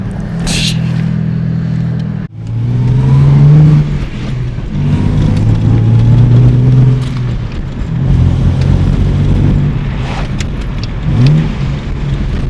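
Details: Ford EF Falcon XR6 barn find with T5 manual, first drive: engine pulls cleanly through the gears, pitch rising and dropping at shifts, no knocks or rattles; sounds healthy.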